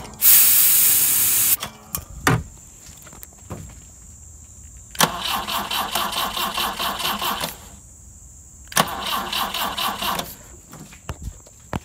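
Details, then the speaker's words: Fuel-injected engine in a BMW 2002tii started on four wires bypassing car wiring, electric fuel pump not connected: cranks and catches twice, runs roughly a couple of seconds each time, then dies; running on starting fluid only. "there you go so if this had fuel it actually would run right now it only is starting fluid"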